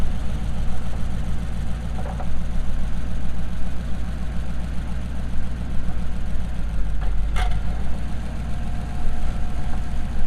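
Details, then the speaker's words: Transmission in a Ford coupe after second gear was destroyed drag racing at Pinetree Jamboree; hard to get in gear, limping off trailer. Deep, lumpy low-speed churning with uneven pulse and faint spinning whir; driveline rough, owner suspects clutch also damaged. "And it sounds rough. It sounds like the clutch might be damaged also, because I can hear it spinning in there."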